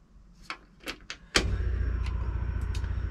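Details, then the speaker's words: '57 with FiTech fuel injection and a newly swapped Pertronix ignition module, on a battery left uncharged (about 11 V): a few clicks, then steady low cranking that never fires. The FiTech is suspected of giving no fuel, so spark is unconfirmed. "didn't make any effort to fire but uh the fight tech's probably not giving it any fuel so i'm not gonna know if it's got spark just by doing this"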